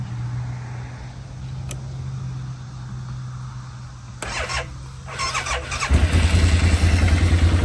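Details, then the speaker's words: Quad engine after replacing spark plugs with CR/CPR AE 7411 (one old plug lacked the terminal nipple for the coil boot): runs much smoother, steady low hum then regular louder pulsing, though it still cranks slow. "So, it still does crank slow, but it runs a whole lot smoother."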